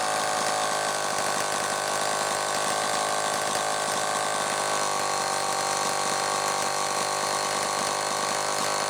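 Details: Homelite XL-12 chainsaw, final test run: high, steady two-stroke buzz holding an even speed without stumbling or cutting out; running properly.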